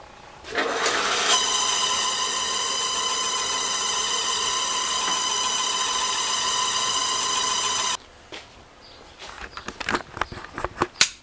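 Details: Older Rockwell drill press being restored, on its first start after fitting a used motor with a repainted pulley: the motor spins up into a steady high whine with a ringing stack of tones, holds several seconds, then cuts off. The source of the noise is unknown and it went away.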